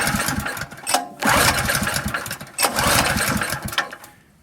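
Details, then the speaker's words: Honda EZ1800 generator reported hard to start and running only on choke: a cold start with fuel on, choke on and switch at run gives two hard pulls that spin it briefly but it never fires; this is a fuel supply problem. "So it won't start."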